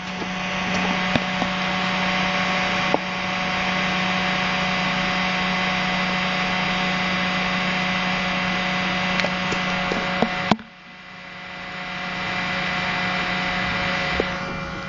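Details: IBM ThinkPad T40-series laptop (T40/41/42/43) fan noise problem: steady fan whir with constant tone near 200 Hz and faint uneven rattle; noisy cooling fan, cause unknown.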